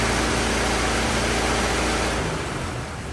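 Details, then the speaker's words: 1927 Ford TT truck, old four-cylinder, choked, on battery: settles into an even, steady idle with no knocks or misses before fading; some oil leaking, owner suspects loose hogshead inspection cover; normal idle. "let's shut her down and uh we'll call that a success huh good enough it's a good runer got no no complaints about any of that"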